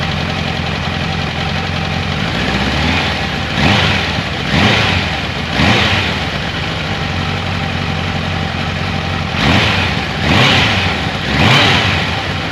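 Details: 1994 Kawasaki Concours ZG1000 (GTR1000), after carb cleaning, new air filter, cleaned airbox, oil change, tank off: smooth steady idle with several clean throttle blips rising and falling freely, no knocks or ticks; healthy.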